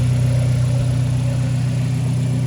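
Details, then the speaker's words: Turbo Mazda engine at first start-up after timing chain work: smooth, steady low idle hum, much quieter than before with no ticking, rattle or knock; old timing chain was likely the earlier noise; sounds like new. "listen to this engine guys honestly this sounds like a brand new engine sounds brand new"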